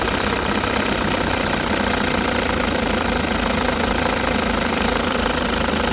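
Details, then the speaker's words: 1960 Evinrude Fisherman 5.5 hp two-stroke outboard, rebuilt, first start in test tank, fired in 3 pulls and warming up: fast, even putter at idle with steady rattle underneath, no misfires, pumping lots of water; normal idle. "Let it warm up a little bit, and I'll see if I can dial the idle in a little better. Pumping lots of water."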